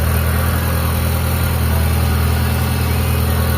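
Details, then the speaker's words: Mitsubishi Lancer EL carb-type, freshly overhauled, idling after the new timing belt that was rubbing on the crankshaft was corrected: steady, even idle with a smooth low hum and no misses or knocks; normal idle, only advancer adjustment left. "So ngayon okay na yan. Ayan, maganda na 'yung menor mga boss."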